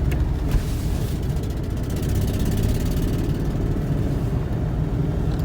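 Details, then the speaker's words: Ford Mustang 3.8 V6, five-speed, 147,000 miles, idling with deep lumpy uneven beat from one missing cylinder plus exhaust leak and fuel smell; bad fuel injector or fouled plug suspected, not confirmed. "definitely missing got a got a pretty good exhaust leak to it see the engine miss i believe it's just missing on one cylinder"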